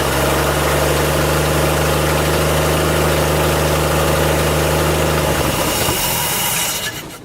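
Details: 1958 Ford F100 V8 after first-time Holley carburetor rebuild: holds steady idle about five seconds, then fades and dies; lots of junk seen in the fuel bowl, owner suspects debris from the fuel line and possibly a clogged fuel pump. Not confirmed.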